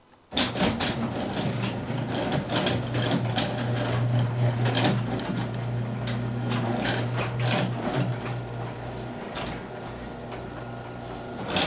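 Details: 4-panel garage door with opener, closing before any fixes: steady opener drone with irregular clattering rattles and creaks; door is noisy and needs lubricating of hinges.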